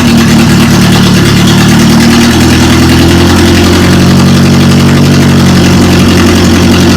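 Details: Rebuilt Toyota Corolla engine finally running after distributor timing fix and oil temperature sensor leak repair: loud steady idle stepping up to slightly higher speed and holding evenly, runs smoothly; fuel delivery issue noted after sitting half a year.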